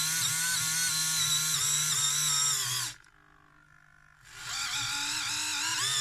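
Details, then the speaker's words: Civrays InMoov robot shoulder, servo under Arduino command: high wavering whine that dips, strains, cuts out and resumes; screw heads catch on the unfiled top piece, making the servo struggle, likely to wear the plastic away eventually. "so I think they're just catching on the top piece just in that they'll probably eventually just wear the plastic away and thought themselves Val I think we're just making the servo struggle a little bit you can kind of hear it more than you can see it"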